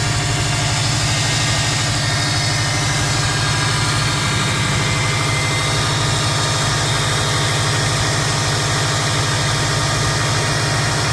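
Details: 2005 Subaru Impreza WRX at idle: steady low hum with a faint thin whine, and a turbo whistle heard while driving; source of the whine unknown.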